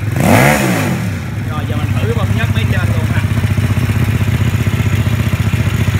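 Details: Vietnamese-built mini Ducati-style L-twin motorcycle, started after fitting the tank and exhaust, with the oil pump being checked. A quick rev blip, then an even twin idle thumping about four times a second with no knocks or misses: healthy.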